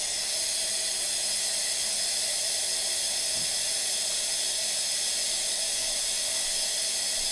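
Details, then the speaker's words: Brand-new A.O. Smith electric water heater, just installed and partly disassembled over a low outlet pressure complaint: steady high airy hiss of trapped air rushing out of the open line during filling; normal venting. "it's not quite full yet, but you can hear the air coming out of it. We're getting pretty close to being full right now."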